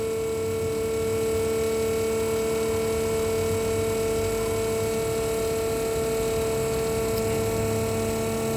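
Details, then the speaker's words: RVGUARD RV macerator pump on 12 V from the cigarette lighter, emptying the black tank about 50 ft through a standard garden hose: a steady, even electric hum with no surging or rattle, normal operation under load. "this is pumping about 50 foot right now through a standard garden hose"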